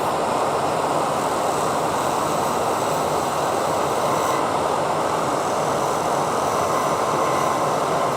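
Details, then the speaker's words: Wood lathe turning a tree ornament: steady, rough rattling cutting chatter because the thin middle section is vibrating and wobbling against the tool. "And you can hear the chattering, right? That means that it's kind of wobbling around, basically."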